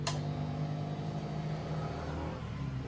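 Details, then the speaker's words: Keyless motorcycle with a failed receiver, after joining the pure yellow wire to the yellow-with-green wire to bypass it. Steady low electric hum for about three seconds at key-on, no stutter; fuel pump priming normally, confirming the bypass works. "kung good na yung ating fuel pump, gumagana na, good na rin yung pinagsama natin ditong pure na yellow wire at yung yellow na mayroong lining na green."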